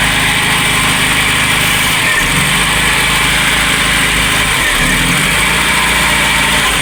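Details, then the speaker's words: VW Polo Classic, cold start after fitting a different coolant temperature sensor, carb cleaner sprayed in, MAP sensor plugged in: fairly even cold idle under loud spray hiss, small speed wobbles, no surging; idle fluctuation (previously 1500–2000 rpm) now stable. "But it's maintaining a steady idle cold start."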